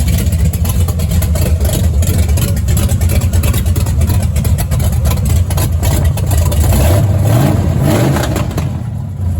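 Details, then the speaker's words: Fresh ZZ502 big-block swapped into low-mile original 73-77 El Camino, open headers; loud deep lopey rumble firing evenly, briefly picking up; normal start and idle. "You saw the other one, you can hear it run, but I'm just going to crank it just for a second, just to see it run."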